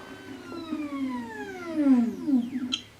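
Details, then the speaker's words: Ultimaker 3D printer unloading material: smooth stepper tones gliding downward in pitch as the rear extruder reverses filament out, even and clean, normal retraction. "So what it's doing now, it's reversing the material by the extruder on the back."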